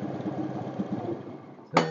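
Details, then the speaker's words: 2014 Honda Scoopy FI scooter idling uneven and stumbling toward stalling when a battery jumper cable is removed, then a sharp metallic clink; battery drained from unstable current. "ini hidup dan saya takut lagi ini dan ketika dicabut satu baut satu gambaran aki ini mesin mati ya"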